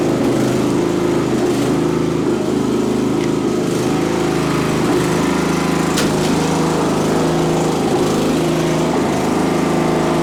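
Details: Craftsman LT1000 riding mower, on jumper box with dead battery, full throttle with choke: single-cylinder holds a steady even drone with no knocks or misses; normal running.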